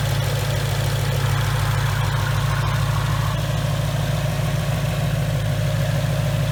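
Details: 2019 Mustang GT with Whipple supercharger, new built engine after a broken piston and melted catalytic converters, breaking in on BR30 oil: deep, steady idle with even pulse, no misses, knocks or ticks; runs smooth.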